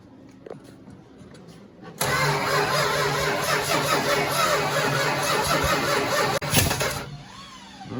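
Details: 1969 Dodge Charger 500 barn find, dormant 27 years, new plug wires and thermostat, gravity fuel feed, on a different battery: starter spins steadily about five seconds, never catches or fires; cranking, no start.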